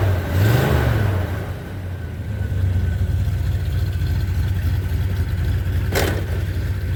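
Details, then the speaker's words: 1978 Chevy C10 truck V8 after sitting a few days, battery just reconnected: quick throttle blip, then a steady, even low rumble with no misfire or knock; owner says it has never run better; healthy idle. "whole truck has never run this since i've had it never run as good as it does now"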